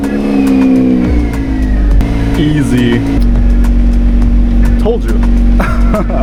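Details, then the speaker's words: Mazda RX-8, freshly rebuilt 13B rotary, first start in over 5 years: catches immediately into a smooth, even buzz with steady revs, no misfire or knocking; smoke is assembly lube burning off. Normal running. "That's just all of the Vaseline burning off, all of the assembly lube. Nothing to worry about, and it just runs so great."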